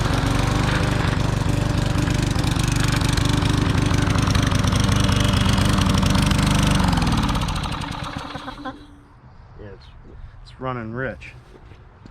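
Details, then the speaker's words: Garbage-picked small single-cylinder lawn mower, carb bowl off and primed: runs steadily with a heavy, slightly loping drone, then winds down; sounds like it's running rich, with clogged carburettor jets suspected and carb cleaning or replacement planned. "sounds like the jets are clogged up on it that's all we got to do is clean the carb"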